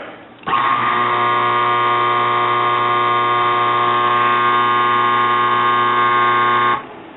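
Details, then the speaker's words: Used washing-machine motor from eBay, hotwired on the bench for testing: constant low electrical buzz over a steady hum, unchanged throughout; buzzing cause unknown, though it doesn't sound like the previous faulty motor. "Don't know why the buzzing sound. Well, it doesn't at least sound like the other motor."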